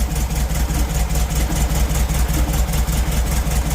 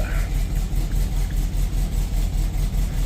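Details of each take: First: 1972 Volkswagen Beetle started during an oil change: low, throbbing idle with uneven beats that waver instead of holding steady; idling a little rough. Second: 1972 Volkswagen Beetle air-cooled flat-four, about 12,000 miles on the engine, just after an oil change: steady even low chug, still a little rough but settling; normal idle.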